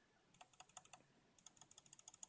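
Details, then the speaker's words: Mionix Naos 7000 mouse left button: two quick runs of sharp, light clicks with a thin, hollow ring; it feels like it bottoms out too early, and the owner suspects the switch bounces back against the plastic. "it's making like a hollow noise underneath it and it doesn't feel good when I pressed down feels like a bottoms a little bit quicker than it should"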